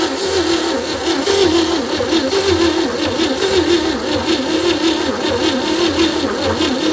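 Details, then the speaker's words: 1960 Chevy C10, 235 engine, sat in a fence line for about 40 years, first start attempt; dragging, uneven, labored turnover, about one compression beat every two seconds. Owner suspects weak battery, adding a charger, and possibly tight valves. "Well, she ain't cranking very fast. I'm going to throw a battery charger on this, get a little more power to it."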